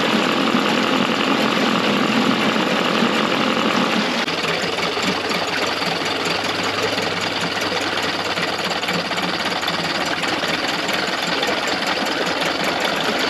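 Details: Early-90s 8 hp Mercury two-stroke outboard, first run in a test tank after general maintenance: ragged, uneven beat stumbling irregularly instead of a crisp idle; runs rough with fuel leaking under the carburetor, owner doubts the yellow fuel line is the cause.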